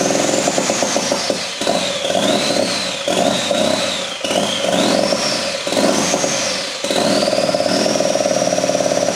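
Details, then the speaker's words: Ford EcoBoost engine on a stand, fired on factory harness for a RWD Fusion swap, no boost piping fitted: stumbles and sags, revs rising and dropping unevenly, getting worse; owner suspects loading up with fuel, throttle codes thrown, cause unconfirmed. "well it's sounding increasingly worse but the throttle works too so that's sick"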